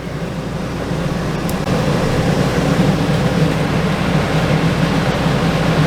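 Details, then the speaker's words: RV rooftop air conditioner reported not cooling: steady fan and compressor drone, no rattles or squeals; 70° in, about 45° out, 11.6 amps, refrigerant level fine, cooling normally. "the exhaust that's that's excellent uh that's pulling you like that was 11.6 amps or whatever it's perfect nothing wrong nothing wrong with the freon level"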